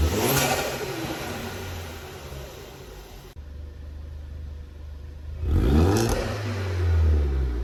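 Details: Ford Focus ST Mk3 estate engine revved during restoration: crisp, even blips up and back with no knocks or rattles, lots of chatter; sounds healthy, normal revving.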